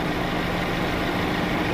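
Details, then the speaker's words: Mercedes-Benz W212: low, lumpy idle with heavy shaking and an uneven throb; engine light flashing, misfire codes on cylinders 1 and 3. Unchanged after replacing two ignition coils; engine control unit suspected, not confirmed. "ทั้งคันนะครับเนี่ยดูโชว์มาที่สูบเดิมเลยครับสูบ1กับสูบ3เนาะไม่มีอะไรเปลี่ยนแปลงครับเปลี่ยนคอยแล้วก็ยังเหมือนเดิมนะครับ"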